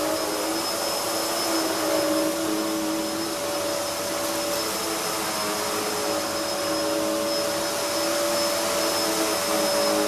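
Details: Hoover upright vacuum, a model sold since 1997, with a soft-start motor that builds speed gradually: steady even roar with a thin high whistle, no surging or knocking; runs well, though the brush roll is fairly loud.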